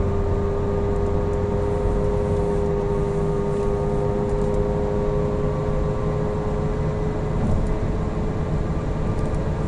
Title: Falken FK510 loud noise